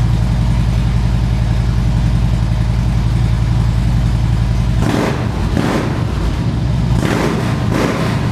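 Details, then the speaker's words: 2013 Harley-Davidson Ultra Classic FLHTCU, a salvage-auction bike being rebuilt: a deep, loping V-twin idle holds steady, then a few sharp throttle blips rise and settle cleanly, sounding healthy and strong. "Man, did that sound great. I hope the microphone on the camera picked up just how great that sounded."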